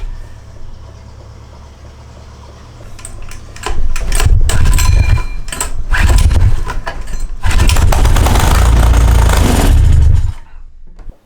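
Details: Small gasoline engine fed hydrogen gas made from water through a bubbler gives low, rough bursts of firing in uneven surges, then dies away. It catches briefly but can't keep running on too little gas.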